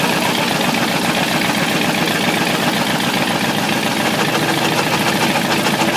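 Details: Ford 351W V8 with a spun rod bearing, abused: the engine runs loud with a dense, loosely regular rod knock through a rough exhaust roar, coolant spraying and the top starting to burn.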